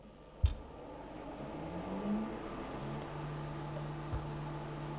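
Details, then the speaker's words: Anycubic Photon M3 Plus resin 3D printer starting a print: click then steady low motor hum as build plate lowers, smooth and even; Z-axis working normally. "okay z-axis is working it's coming down and i guess it should start pumping some resin as well"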